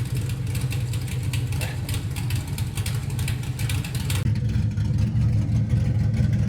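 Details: LS-swapped Camaro V8 on new 3-inch X-pipe exhaust, mufflers off; deep steady burble, even low rumble, no misses or ticks: normal idle.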